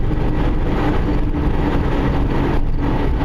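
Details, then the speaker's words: 2005 Subaru driving down the road: steady low "rump, rump" droning under road noise that gets worse and better, from a worn rear wheel bearing, to be replaced with a pressed-in bearing. "You can sort of hear a rump, rump, rump, rump. That's a rear wheel bearing, 2005 Subaru. And it gets worse and it gets better, which is weird."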